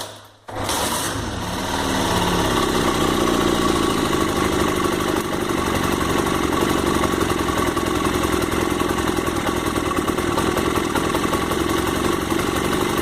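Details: 1999 Honda CG single that had engine noise from unlubricated valve rocker arms, restarted after disassembly and clutch polishing. Catches quickly, steady even idle with light valvetrain chatter, no misses; lubrication now normal.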